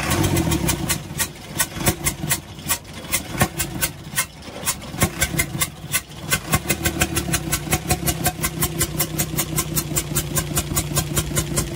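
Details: UD Nissan PKD 411 truck, NE6 six-cylinder diesel idling: a sharp, even chuff about four times a second from the intake side. Rockers were checked and working; a leaking intake valve was found and the valves replaced.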